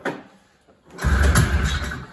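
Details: 1980 Ski-Doo Blizzard 5500 vintage two-stroke snowmobile, first start attempt in many years: one hard recoil pull catches into a short low sputter that fades within a second. Still won't start.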